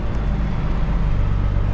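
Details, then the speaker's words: Old cabover diesel truck after new alternator belts, driving at night: deep steady diesel rumble at low speed with no belt squeal; belts no longer squealing, normal belt operation. "Okay, the belt ain't spilling no more. So, that's good."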